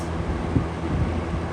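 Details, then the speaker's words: Vintage McGraw-Edison Comfort fan on low speed, drawing about 1.25 A and 89 W: low steady motor hum with loose, uneven knocking rattles; something on the fan is rattling. "We'll start with low. You can already hear the rattle."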